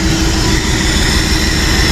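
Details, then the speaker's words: 1966 Ford F250 Army highboy V8 with loose carburetor: loud steady idle with hiss on top that changes as carburetor cleaner is sprayed and sucked in under the carburetor base; vacuum leak, stumbles on throttle, fixed with washers. "you hear that change and you can actually hear it sucking the whistle you can hear it sucking that uh carburetor cleaner in through the bottom of the carburetor"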